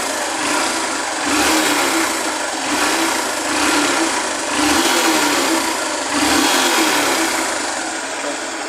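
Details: Honda Fan 125 2009 motorcycle after replacing the cam chain and the worn complete clutch: even, soft idle hum with the earlier top-end noise gone, no rattle or ticking.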